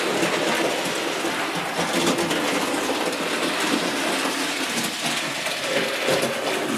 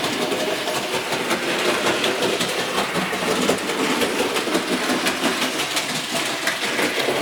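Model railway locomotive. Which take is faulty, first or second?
second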